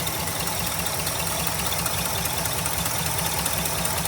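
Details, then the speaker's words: 1966 Ford Galaxie 500 390 FE V8, first fire after a new 4-barrel intake and carb swap, smoking: the idle has a loose, uneven ticking about 2.5 per second, heard on the driver's side only. Cause unknown; a vacuum leak is also suspected. "Yeah, it only sounds from the driver's side. This side sounds fine."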